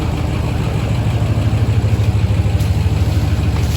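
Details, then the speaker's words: Diesel truck, 143 (thousand) miles, straight pipe exhaust, cold start on an October morning with a little smoke from the cold; deep, steady diesel chug with even loping beat, no knocks or misses; runs good, normal cold idle. "It's straight pipe too. It sounds really good. A little bit of smoke from the cold."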